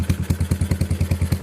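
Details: Yamaha SR400 single-cylinder idle thumping about five times a second with light clatter each beat, rocker arms found loose, moving side to side when they shouldn't; valve rocker arm clatter.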